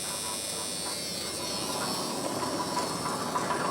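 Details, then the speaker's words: 1994 Dodge Dakota club cab, 3.9 V6 Magnum, 186,000 miles, at idle: thin, buzzy metallic rattle from a loose exhaust heat shield; owner also suspects a bad belt tensioner or idler pulley. "there's a heat shield on this rattling I gotta sort out"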